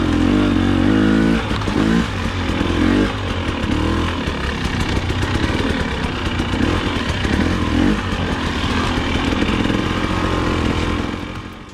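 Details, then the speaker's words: KTM/Husky TPI two-stroke after replacing faulty crankcase pressure sensor (low-rpm, low-throttle stutter and hesitation before): crisp note pulling cleanly through light revs, no stutter or hesitation; running smoothly. "so now that i've got the sensor swapped i went ahead and took the bike out for a ride and found that it runs significantly better all of the stuttering and hesitation is completely gone in fact it runs better than the day i bought it"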